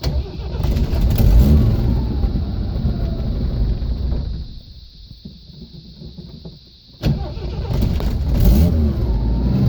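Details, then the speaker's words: 1979 Jeep CJ5 with AMC 258 inline six, first start after being brought home: engine catches and revs roughly, sags toward stalling, then picks up; it only runs on full choke, suspected dirty carburetor needing cleaning. "okay well this thing goes wrong but it'll only run with a choke on so the car paint's cleaned up"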